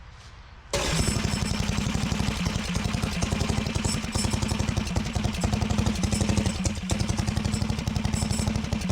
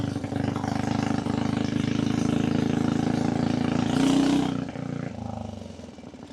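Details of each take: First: Harbor Freight Predator 420cc built engine on 2WD Coleman minibike, cold rainy day: fast single-cylinder beat with loose tinny clatter on every firing pulse; recoil starter walking its way out. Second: Coleman minibike converted to 2-wheel drive drag bike with built Harbor Freight Predator 420cc engine, ridden in rain near freezing: steady single-cylinder drone holding clean under load, easing off smoothly without backfiring or misfire; healthy engine, maybe needs slightly more ignition timing.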